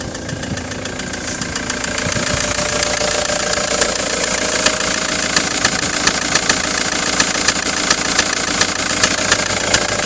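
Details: 2005 Ford Transit 2.4 Duratorq diesel van idling with a sharp, fairly regular knock about two to three times a second; engine knocking at idle.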